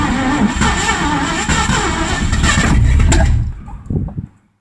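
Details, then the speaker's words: Ford 302 V8 in an 1984 Mazda RX-7 with C4, sat 8-9 months; timing being adjusted, ignition still weak. Rough cranking catch with sharp pops, uneven firing, then dies: backfiring out the carburetor; carburetion and timing suspected. "so we're getting somewhere backfiring out the carburetor so this thing sat for you know 8 n months"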